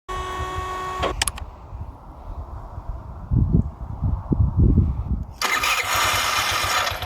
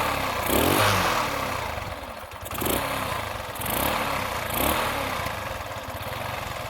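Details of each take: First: Carbureted engine (piston kit, valve, ignition module, coil, plug already replaced; carb rebuilt) idles then chokes and stalls when throttle opens; sputters, restarts, revs only with sharp blip; black sooty plug indicates rich mixture. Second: Small single-cylinder engine that chokes and stalls on opening the throttle and spits back through a rich-running carburettor now idles on its own after a missing cover O-ring was replaced; revs gently swell and settle with light clatter.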